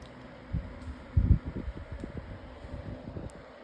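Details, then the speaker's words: 2026 version of the Lasko 18-inch plastic table fan on medium speed, oscillating. Soft, even whir with a few light bumps from handling; motor and oscillation sound smooth, though the oscillation clicked on low. Normal running. "All right. Now, we'll bring the fan up to medium. has pretty good oscillation with this motor or blades um like part set or something."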